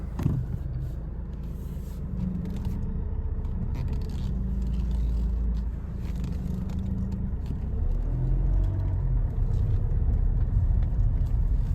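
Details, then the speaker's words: Alfa Romeo 159 at idle while the power steering is bled, turning the wheel side to side to purge air. Only a faint, steady low hum; it sounds much better than before, and the owner may flush it once more. "as you can already hear though the sound is all so much better already"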